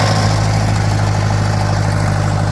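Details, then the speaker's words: Farmall 504 tractor with low float condition, floats already set as high as they go, choke held manually: rough, low lean idle ready to die; it runs briefly then shuts off, a fuel delivery issue, fuel starvation. "So, as y'all saw there, that definitely is a fuel delivery issue because I guess I didn't get it on camera, but if I went to turn it on right away, it would run for a second and then shut off."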